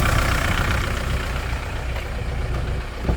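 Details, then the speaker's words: Kia Sorento, almost 150,000 mi, cold start with brief smoke: heavy uneven low-end clatter, popping/slapping like a chain, owner expects it to smooth once warm with no power loss; cause unknown. "Sounds like a It's a chain. That noise like a It's like a popping sound like a like a slapping. It's like a chain."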